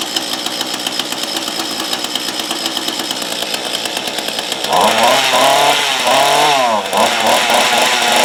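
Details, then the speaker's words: Mantis rototiller two-stroke after swapping a bad carburetor for a replacement, primed twice, choke on, first pull: crackles at fast slightly high idle, then revs up with rising buzz; runs cleanly and fires steadily. "holy crap I don't believe it don't believe well I'll tell you something I'm pretty shocked that was the first pull"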